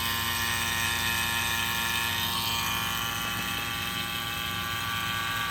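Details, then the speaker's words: Vacuum pump evacuating a Chevy Cruze AC system after condenser and expansion valve replacement; valves opened, gauge needle drops and pump note changes as it pulls down toward 30 — steady even mechanical hum, normal vacuum pump operation. "let's open them up you can see that needle drop and you hear the difference in the pump"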